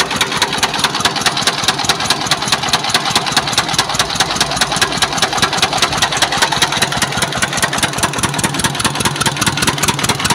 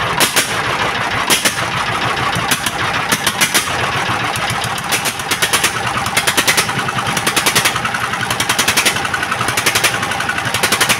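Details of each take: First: S1125 single-cylinder diesel that ran out of oil and was refilled and restarted: rough idle with a hard, regular knock about two to three times a second from inside the engine; connecting rod knock. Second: S1125 single-cylinder diesel after repair of heavy knock from running out of oil, oil indicator good: steady thump with crisp, even ticks and no heavy knock; normal running.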